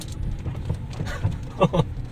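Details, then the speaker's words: Geely Emgrand GS, 80,677 km, driven over rough road: dull irregular thumps and louder clunks from the chassis/suspension; right-front stabilizer link ball joint found worn, a contributing cause, with shock absorbers suspected. "感觉好像整个底盘都在响，听到没有？减震器的声音啊。"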